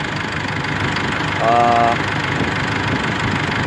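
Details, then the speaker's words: 2005 Isuzu D-Max diesel that was hard-starting, long-cranking, limited to 2000 rpm with knocking, after repair: even idle clatter with steady rhythm, no misses or hard knocks, starts normally and revs freely; normal idle. "โอเคติดปกติเลยครับโอซิลติเลยแล้วก็เร่งรอบได้ผม"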